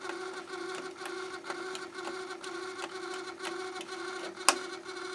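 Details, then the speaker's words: Harman Kardon CD 191 cassette deck with heads stuck up and door unable to close: steady drone with rough rhythmic clattering about twice a second at power-on; jammed, grinding tape transport, eject and stop not working. "i have the heads in the up position which means i can't close the door turn it on makes awful noise"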